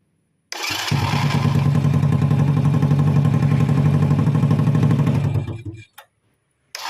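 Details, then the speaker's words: Honda Supra Fit motorcycle after starter motor repair (worn brushes, one loose magnet, shimmed loose armature shaft that caused growling): brief crank catches almost at once into a steady, even low thumping idle; starts easily without throttle. "Oke, ya. Nyalanya mudah ya. Ini tanpa ngegas dan digas tetap bisa, Kang Bro, untuk double starternya."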